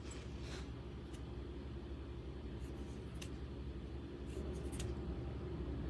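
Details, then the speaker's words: Brushless RC motor from a Big Fox after its outer bearing failed: the rotor, test-spun in the rear bearing, gives a smooth, even low hum with no grinding or rattle. This rear bearing is fine; the noise was in the front bearing. "that sounds really good let's go ahead and try the front"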